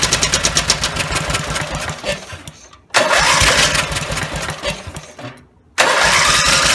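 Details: Rebuilt Briggs and Stratton 17HP (carb rebuilt, plugs, sump, oil slinger, gaskets replaced, valves reseated) roars at high revs, fades and quits, refires and sags; won't hold lower speed; owner suspects the throttle linkage lever isn't resting on its screw.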